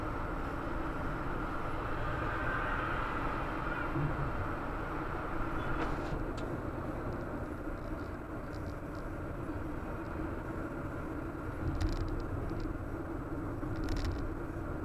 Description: Humming noise generated my MRF ZLO performance tyres 195/60-R15 at low speeds.